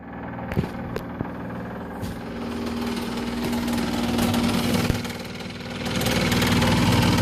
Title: Refrigerator making loud noise